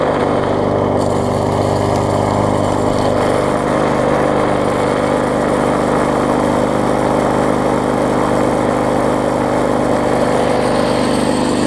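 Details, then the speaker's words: Bolens self-propelled mower after no-spark fix by regapping ignition coil too far from flywheel: steady even run, smooth drone, no misses, started on first pull; normal running. "take off on its own so I can hear it does run good and start it up on the first pole which is always a plus"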